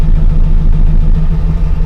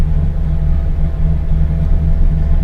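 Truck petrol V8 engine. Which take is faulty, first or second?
first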